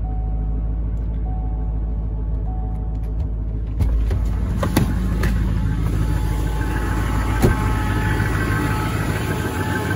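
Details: LBZ Duramax diesel cold start at -11°F after a -12°F night, 9000 ft altitude, one grid heater cycle: fired right up to steady even high idle with faint turbo whistle; normal cold high idle.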